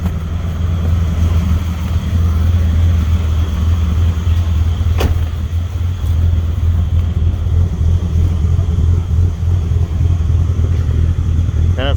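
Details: Ford EB Falcon manual six-cylinder after cleaning throttle body and idle actuator and changing leads, white smoke from carb cleaner: deep uneven, slightly lumpy idle rumble; still idling rough, later stalled and wouldn't restart.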